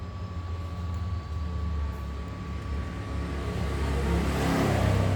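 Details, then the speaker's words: Freshly assembled 1 HP air compressor pump, not yet mounted on its tank, after valve checks: steady even thumping about four beats a second with a faint whistle, no knock or rattle; slightly noisy due to unmounted position, valves good, runs normally. "masih bagus ini suaranya agak agak berisik ya tadi karena ini belum dipasang di tabung posisinya juga masih gini"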